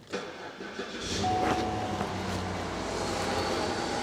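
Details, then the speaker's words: Cadillac DTS with a crank/no-start and code P1682 that other shops had thrown many parts at, now repaired: a short crank, then the engine catches and settles into a steady, even run; normal start. "in any case it's running I'll start it up show you guys have runs"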